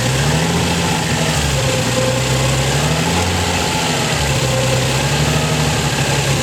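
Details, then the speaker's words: Nissan 300ZX recovering from hydrolock, fully warm after 20 minutes of no-load idling: steady fast idle holding about 1,000 rpm, no knocking — high idle. "After 20 minutes of idling. Idle is still at about 1,000 revs, give or take."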